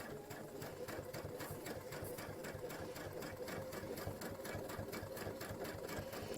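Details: Brother Luminaire sewing machine stitching with a digital dual feed (walking) foot plugged in: quick, even stitching clatter at about four stitches a second with a light steady hum, feeding smoothly. Normal operation.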